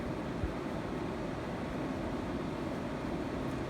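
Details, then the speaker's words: 1984 Carrier Siesta 5000 BTU window air conditioner with reciprocating compressor, fan-only on normal speed, 85°F humid day: soft, even rush of air over a low hum, no rattles, ticks or squeal; quiet, normal fan operation. "It's nice and quiet on low. Obviously a good bedroom unit. And normal she runs a little faster."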